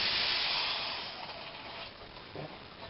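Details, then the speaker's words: Well pump lost its prime after the well ran dry in a dry summer; while re-priming, a loud rush of air hiss dies away into faint gurgles and knocks as water goes down the line and air is pushed out. "You can hear water going down inside the... You can hear it gurgling."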